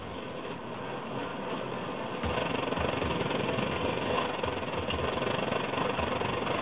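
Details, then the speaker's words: Svea 123R stove just reassembled and lit, needle possibly set a little high, blue flame: a soft, even hissing roar with no surging, quieter than at full pressure. Weak burner roar. "and you can see it's pretty weak you can hear it too it's pretty"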